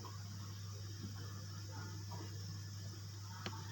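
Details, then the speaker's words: Refrigerator compressor running with refrigerant suspected lost to a leak: steady, even low hum with no knocks, clicks or rattles; the compressor runs smoothly and sounds healthy. "Untuk kompresornya bagus, menyala halus suaranya."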